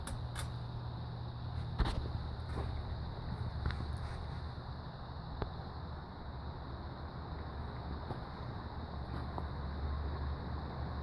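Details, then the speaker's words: Heritage Hugger 42-inch ceiling fan with spinner motor, started on high speed: steady low hum with a smooth even whoosh, no rubbing or wobble knocks, blowing air; normal running. "I guess it goes okay. It goes pretty fast. Stand under it. It's blowing some air."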